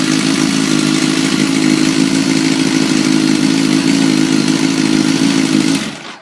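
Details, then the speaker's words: Kawasaki ZX-10R started in neutral after an air filter change and reassembly: smooth, steady idle with an even buzzy note and no ticking or clatter until switched off. Normal idle. "There we go. like a kitten."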